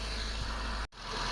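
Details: Mitsubishi Lancer after fixing misfire/rough idle that began after washing the engine bay; cause was rust in the coils and plugs. Brief even, low idle rumble with no stumbles or misses; engine idling cleanly.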